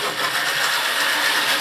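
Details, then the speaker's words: Deep burgundy/maroon model railway locomotive, all right once past the straight section. Steady, even whirr with a faint high hum, no stutter or dropouts at speed: normal running. "today she's all right once she's gotten off that straight and once she's got running like that"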